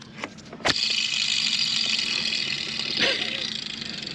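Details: Ford Courier/Peugeot/Citroen timing belt and water pump job: tensioner pulley spun by hand gives a rough gritty hiss with a dry rasp as it coasts down; worn tensioner bearing needs replacing.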